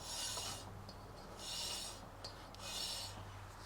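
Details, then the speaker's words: Holden HSV VY Clubsport, wheels off: harsh rhythmic metal-on-metal scrape repeating with each wheel turn; one brake pad worn through to the metal backing plate, grooving the rotor, while the other pad still has material. "it's like some form of metal or metal by the looks of it."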